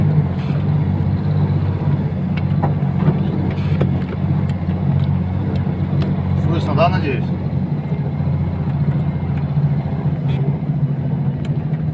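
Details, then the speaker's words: KamAZ 65115 diesel truck driving while hauling snow: steady diesel drone with sharp rising squeak near the end from the cab hydraulic locks behind the seat; cab lock squeak and knock. "вот друзья вот такие были скрипы hydra звонков"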